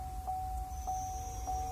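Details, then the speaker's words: Chevrolet Camaro with an added electric supercharger, engine running, pre-spooled via its dedicated controller: faint high motor whine rises and holds steady over a pulsing lower tone; normal, healthy spool-up. "so now if i go back and go to the spooling setting and pre-spool it you'll hear the supercharger actually turn on if you listen"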